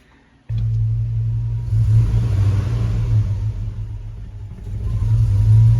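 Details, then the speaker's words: Hemi V8 swapped into a Grand Wagoneer, after replacing a torn EGR tube O-ring suspected of a vacuum leak: starts and rumbles low and uneven, sagging and wanting to die when revved; multi-cylinder misfire code persists though it sounds better. "still wants to die I want to rev up [Music] still showing misfire okay still showing a misfire"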